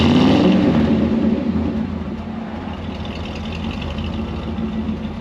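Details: Ford 302 V8 Econoline van, cold start after replacing bent #5 intake pushrod (suspected stuck valve), dual exhaust. Blips up then settles into slightly lumpy but even idle with no valve clatter; all eight cylinders firing normally.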